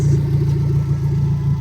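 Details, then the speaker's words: 2000 Nissan Frontier idling after alternator replacement, no belt squeal: steady deep, loud throaty rumble with even pulses, loud because the exhaust pipe ends short; idling fine. "yeah the truck's loud but it's all good we're idling fine and if you want to know why it's loud look right there that's where my exhaust"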